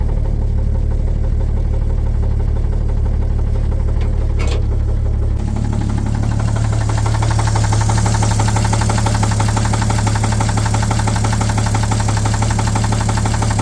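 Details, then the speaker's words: 1950 Chevrolet 3800 one-ton, Chevy 235 six, sat since 1977, with Lucas Oil Stabilizer at 60%: heavy steady knock about four times a second over deep idle; rod knock not removed by additive. "anybody out there is wondering Lucas Oil stabilizer will not fix a rod knock on your bited Chevy 235"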